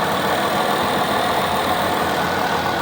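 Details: 2000 Ford F-250 4x4 with an original V10, idling with a smooth, steady hum. No smoke, no ticks, no knocks; it sounds healthy.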